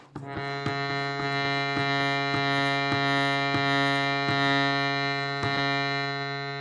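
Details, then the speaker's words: Shruti box reed retested after filing to cure buzzing: a sustained reed chord with a faint rattling edge, quieter than before but still buzzing. About one and a half reeds fixed; the filing was deliberately cautious to protect tuning. "let's check the next read still got a buzz"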